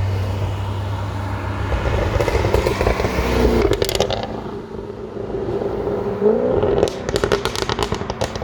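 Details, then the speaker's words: 2015 Jaguar F-Type R, 550 hp supercharged V8, RWD, driving: deep V8 burble on throttle, then sharp pops and crackles on downshifts around four and seven seconds; healthy exhaust note. "I cannot make an f-type video without mentioning of course my favorite thing that would be the exhaust sound check it out"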